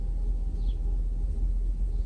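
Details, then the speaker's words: Mercedes S500 at idle during a final computer diagnostic with adaptations reset, throttle untouched: EGR valve commanded open gives a deep, uneven, lurching rumble that shakes badly; EGR valve confirmed working. "I'm not gonna even press it because I just want to get the shake more pronounced. Oh yeah. Now it shakes really bad."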